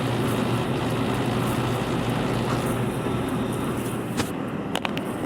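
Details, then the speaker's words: Condenser dryer that previously would not spin, after the fix (a part removed, tightened and refitted): the drum picks up right away into a steady, even low hum with no sluggish roll; normal drum start after repair. "You see right there? I hit this start button. It's going to It's not going to be a slow roll like it was before. It's just going to take off."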